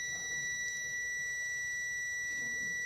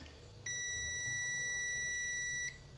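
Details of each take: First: Samsung UA32EH4000 LED TV, dead with no power: multimeter continuity beep stays on with the probes in both directions on the rectifier diodes, so the diode is shorted. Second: Samsung UA32EH4000 LED TV that is completely dead with no standby light: a rectifier diode tested in continuity buzzer mode. A steady beep holds about two seconds, then stops, so this diode isn't shorted.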